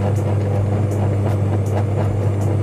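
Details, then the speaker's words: Sanyo twin-tub washing machine, spin-dryer side: steady low mains hum with no speed rising, the drum won't spin and just hums; spin motor powered but stalled from a burnt winding. "jadi di dalamnya tuh berdengung ya Nggak Nggak apa Nggak lancar Ya nggak muter langsung berdengung ya"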